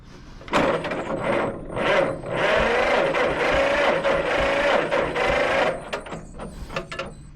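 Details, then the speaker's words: 1950 John Deere model MT, two-cylinder upright engine of about 100 cubic inches, cranked after getting very wet: starter whirs and churns about five seconds with no catch; crank no start. "yeah I don't know why I expected that to start"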